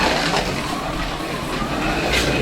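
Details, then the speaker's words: 1:32 scale slot car running smoothly with a steady, even buzz after a loose pinion screw was tightened with an Allen key. A slight internal plastic rattle remains, and it may need a tyre true. "Yeah, much better. That's all it was. Wasn't quite tight enough."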